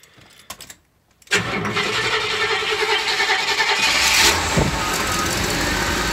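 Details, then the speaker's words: GMC motorhome that would not start and surged at full throttle, now fixed with a 3D-printed vacuum grommet, fuel about a year old: a short crank, then it catches at once into a strong, even run. A normal start. "nice well that worked really good didn't it kiddo"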